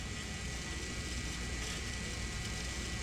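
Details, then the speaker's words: Engine off on a John Deere 6115M tractor, bleeding after a fuel filter change: a steady, low, even whirring hum as the electric lift pump keeps running. There is apparently no bleed screw, and it is unclear whether the pump cuts off. "you can hear it filling it up I can still hear it running at least it sounds that"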